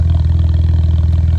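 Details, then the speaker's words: BMW 535xi N54 after valve cover gasket, oil change and swapping in another set of coil packs: deep, even idle with a steady rapid pulse and no stumbles, running pretty smooth; coils seen as the fix. "it's running pretty smooth, I gotta say. I think that's the trick."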